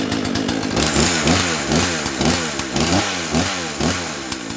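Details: Owner's second two-stroke chainsaw, unused for about two months, said to sound like a little dirt bike: a crisp idle blipped to high revs about twice a second, with clean pickup and smooth return each time; healthy.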